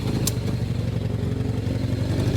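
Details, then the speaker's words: 1981 Suzuki GS650GL inline-four after sitting for years, first running on all four cylinders with initial carb settings: uneven, lumpy, loping idle with clatter because the carburetors are not yet synchronized; rough idle from unsynced carbs. "there it's running on all four my initial settings are off the carbs need to be synced which we'll do that later but not [Music] now"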